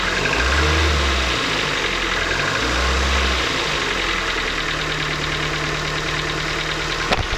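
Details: 2008 Ford Focus Mk2 1.6 Zetec petrol, about 170,000 km, cold after sitting overnight, mic at the engine: fast uneven light clatter at idle over a steady hum, lasting 2-3 minutes; owner suspects the valves. Castrol Magnatec 5W-30 oil.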